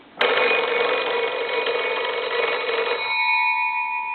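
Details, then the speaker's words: Kellogg-style old wood wall crank telephone after repair, bells rung with the crank: bright continuous metallic ring about three seconds, then lingering tone; normal ringer operation. "but it's all set up now to be able to crank it and and ring the the bells with the crank"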